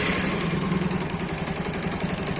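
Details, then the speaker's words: Bajaj Pulsar 150 idling after the block was rebored, a new piston fitted and head valves replaced: quick, steady metallic knock about ten a second; piston noise is suspected, though it can also come from the magneto side. "लेकिन यहां पर यह sound यानी piston की आवाज है।"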